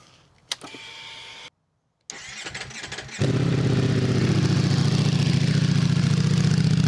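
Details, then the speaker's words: Motorcycle just after fitting dB killers and extra inserts in both exhaust pipes: starter whir, then steady muffled idle, no longer hollow, slightly louder at low revs but fine; normal start and idle with quieted exhaust. "Tā skaņa vairs nav tik dobja, viņa tāda, slāpējoša. Pats sākums. Kad ir maz apgrieziena, tad viņš tur kaut ko liekas, ka skaļāk, bet principā ir baigi ok."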